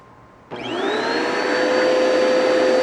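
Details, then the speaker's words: Bissell Powerforce Turbo vacuum with a burnt-off brush bar belt and uncleaned canister: motor spins up sharply with a steady whine and a high whistle that climbs then holds; airflow choked as the intake plugs up. "[Music] that noise is when it plugs up foreign"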